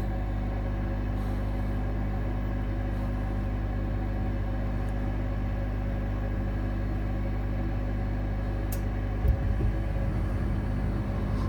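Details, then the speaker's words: 2009 Amana 95 two-stage variable-speed gas furnace in first stage: after ignition the burners kick in with a quiet, steady low roar, no puffing, surging or flame-out; normal first-stage burner operation. "Yep, it's coming right on. Then the burner is going to kick in."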